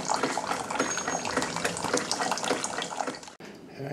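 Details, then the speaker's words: Keurig 2.0, about two years old, after fixing a bottom leak by replacing the brittle, disintegrated high-pressure relief valve with an automotive T-fitting; steady stream into the cup, no spitting or dripping, brewing 16 oz normally. "all right got some water coming out looking for leeks make sure we're good ground all right we'll come back"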